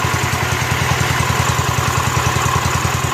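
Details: Rebuilt Kohler K241 10 hp single-cylinder from a John Deere 210 garden tractor, being broken in: even, steady thumping idle, no misses or knocks; normal idle.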